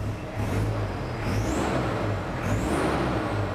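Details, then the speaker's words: Toyota Hilux Surf 2L-TE diesel with a CT16-V variable-geometry turbo from a 1KD-FTV, free revving with the vanes closed to about 40%: dull, strangled note and faint rising whistle, doesn't rev as smoothly as with vanes opened to 60–70%. "it doesn't free rev as smoothly and it's just an audible an audible kind of difference in the engine note"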